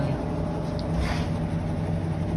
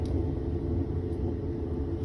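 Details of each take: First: Whirlpool washing machine after repair of a noise caused by water leakage: smooth, low, even hum during the spin with no knocking, rumbling or grinding; normal quiet spin cycle. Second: Whirlpool washer run dry in test mode: a deep, steady rumble from the transmission as it turns; worn bearings (baleros) are suspected, with water leaking from the transmission.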